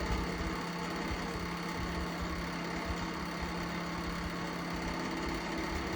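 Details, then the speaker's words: Lakewood Model 792/A electric milkhouse heater on the 1300 W setting: constant droning hum with a rough buzzy rattle, louder on high speed; dry fan motor bearing or loose fan blade suspected. "Okay, that doesn't sound good. We got something wrong here. I'm thinking it's either a dry motor bearing or the fan's blade itself is loose."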